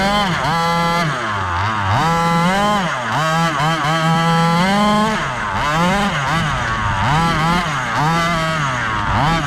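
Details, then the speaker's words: Rovan Baja 5B fifth-scale gas RC buggy after crash rebuild with replaced differential: buzzy two-stroke rises and falls cleanly with throttle, no misses, rattles or grinding; successful test run. "all right guys successful test run everything worked"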